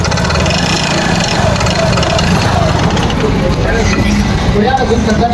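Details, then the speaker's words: Yamaha Fascino 125 BS6 scooter, smoking, revved: loud rough busy note with clattery rattle; caused by worn piston and carbon buildup in the bore. "और engine में आके बहुत ज्यादा different सा sound आ रहा है"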